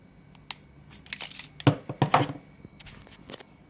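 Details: MicroLab T1 speaker rattling as the unit is moved: irregular little clicks and rattly bursts, like a loose internal part bouncing inside the cabinet. This is a second, sealed replacement pair with the same defect as the first.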